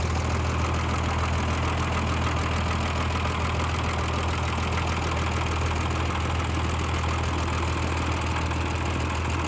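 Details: M35A2 diesel truck after liner repair, a final valve clearance adjustment, and a rocker assembly refit with delayed oil flow to two rockers: steady, even clatter at idle, about one and a half beats a second, no miss or tapping; idling normally.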